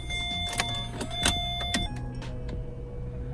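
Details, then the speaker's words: Vauxhall Corsa D 1.3 diesel with crank-no-start, after ECU repair/EEPROM swap and new fuel lines, no fault codes; ignition on, steady electric hum for a few seconds then settles, fuel pump priming normally. "Pumps priming as it should. Yeah, looks like it. It takes a minute for that to cut off again."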